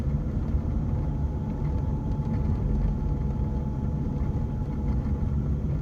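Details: Diesel BMW 1 Series driving in gear: a thin, steady gearbox whine over road and engine rumble. It is quieter in 1st and 2nd and noisier from 3rd up, and it disappears with the clutch pressed or out of gear.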